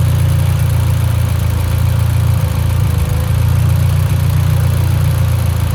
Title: Evo x lean idle misfire